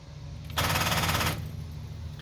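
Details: 1995 Ford F150 that kept losing power, after brushing corroded battery terminals (battery had tested good): a fast rattle of solenoid clicks lasting under a second with no cranking; suspected dead or low battery.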